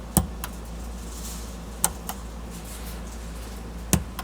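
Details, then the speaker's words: Vintage Blaupunkt classic car radio after restoration work: quiet hiss broken by sharp single pops about every two seconds, each with a faint echo, as the output switches on and off with no audio at all. "well i can hear the speaker popping but i'm not getting any audio so it's got output but no sound you can hear it switching on and off"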